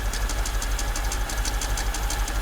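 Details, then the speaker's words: Mercedes S55 AMG, the day after its first drive, heard through a screwdriver held on the engine: sharp, evenly spaced ticks about four per second at idle, loudest near cylinders one and two; source unknown, valve cover to be removed. "so yeah i don't want to run the engine too long with this sounding like that so we'll try to turn off the engine"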